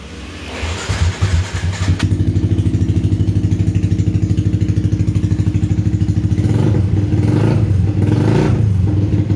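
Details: Yamaha Vixion/Xabre after an engine rebuild (new block and piston, cleaned combustion chamber, valves and new valve seals), valve clearance set to exhaust 0.15 and intake 0.10, compression now normal. The engine starts and settles into a smooth, even putter with clean blips, no tapping: healthy idle.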